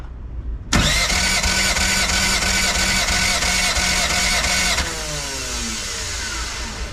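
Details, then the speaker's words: Boosted race car engine with a bent valve, compression test while cranking: steady starter whine with even beats about three a second; cylinder 1 reads about 158–160, healthy; cylinder 2 later only about 135. "all right so that codes for cylinder number one we've got uh let's see just call it like almost 160."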